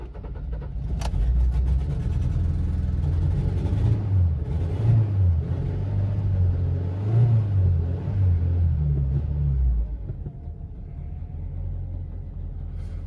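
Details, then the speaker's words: 2005 Honda Civic 1.7L, 189,000 miles, sat two years, cold, stalls when throttle is applied: it catches and revs, but the idle wobbles with occasional stumbles. Rough running; owner suspects an intermittent cylinder miss and bad old gas. "sounds a little rough but it's running it's kind of like last time sounds a little rough but it's running"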